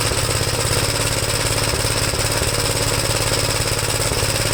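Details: 1973 Gravely C8 walk-behind tractor running a donor single-cylinder engine with a Fairbanks-Morse magneto after a swap and ignition timing; first start, governor adjustment uncertain. It runs at a steady, fast, busy beat with lots of rattly mechanical clatter, holding speed evenly: running normally.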